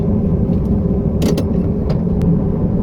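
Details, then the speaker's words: VW Type 4 engine idling in neutral with clutch released, before repair: rough gravelly growl over steady idle that disappears with clutch pressed in; worn transmission input bearing. "It's just let me put the clutch in again. See how it magically disappears? So there you go. It was the bearing."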